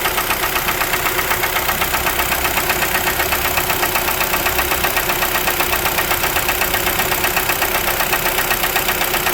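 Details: 2012 Kia Forte 2.0L at idle, around 166,000 km: steady hard knocking about four per second locked to idle speed, deep and mechanical; owner calls it piston slap.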